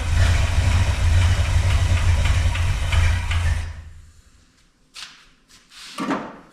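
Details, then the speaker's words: 1966 Chrysler Newport convertible after sitting for years: harsh, heavy, unusually loud starter cranking at about three beats a second for nearly four seconds, weak battery; cause unclear. "Battery's not liking it. The starter is loud though, isn't it? I don't like that neither."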